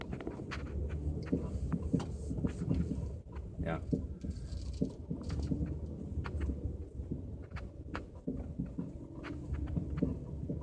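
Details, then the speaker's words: L322 Range Rover driving over bumps: repeated sharp front suspension clunks and rattles persist after replacing front lower control arm bushings; cause still unknown, worn ball joints may be replaced. "well unfortunately this clunking is still present I can tell the suspension definitely feels a little bit tighter"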